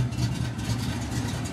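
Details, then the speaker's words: 1992 Ford Mustang GT V8, high compression, camshaft over ?/inch lift, nitrous kit, high-torque mini starter: deep loping choppy idle from the big cam, steady, no stumbling; idles well, stays under 180° in traffic with air on. "car idles really well no idle issues car stays under 180° in traffic with the air on"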